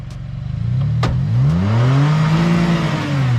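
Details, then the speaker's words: 4th-gen Toyota Tacoma, factory setup, pulling hard off-road; one sharp loud pop about a second in as the truck strains, driveline let go under load. "That didn't sound good. Ugh. This is a factory setup. Listen to this pop. That does not happen."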